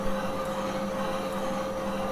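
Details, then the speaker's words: Valve seat cutter on the number two inlet valve seat, cutting to a set-depth stop: a steady, even mid-pitched hum without chatter, cutting uniformly all the way around the seat for good contact. "as we get to full depth hopefully we'll hear it go with a uniform cut all the way around so we know that we've got a good contact"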